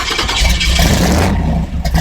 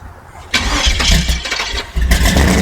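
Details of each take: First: 1964 Chevy II gasser V8 after a year in storage, restarted after flooding with a little throttle; deep burble catches, revs cleanly under a throttle blip, then settles while warming up; normal running. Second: 1964 Chevy II gasser V8 after a year in storage, cold start without choke, throttle being feathered: engine catches, then surges and sags unevenly, nearly dying between blips; gas given after stalling floods it.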